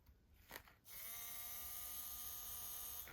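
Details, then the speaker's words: N gauge Class 37 locomotive motor powered directly at its contacts. Thin, steady high whine for about two seconds; the motor runs. "If I touch there and turn it on, I do get power. Hopefully you can hear that."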